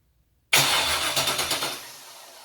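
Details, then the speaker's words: Junkyard GM LS 5.3 V8 on an engine stand, cranked with injectors and coil packs unplugged to check oil pressure: steady rapid cranking with even compression pulses, then winding down, turns freely without firing; normal cranking. "All right, crank this thing over. Now I do have the injectors and coil packs undone, so."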